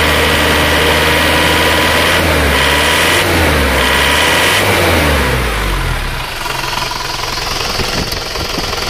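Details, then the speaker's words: Isuzu Panther diesel, still cold and just started: revved hard, a rough sharp clatter rises with the revs; harsh knock, mechanic suspects injection pump timing too far advanced. "kita coba untuk melihat asap di tutup isian oli suaranya ngeri ya di gas kerang-kerang"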